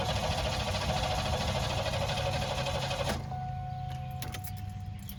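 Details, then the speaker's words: 1991 Buick cranks at a steady even rhythm but never starts after a fuel filter change: a Microguard filter without a flow arrow was fitted backwards, copying the old Fram's direction, starving the engine of fuel. "If you have if you've just recently changed the fuel filter and your filter is a microguard and it doesn't have a flow line on it like the Fram does, and you accidentally put that on backwards because you copied the direction that the Fram filter was in, like I did, you get this."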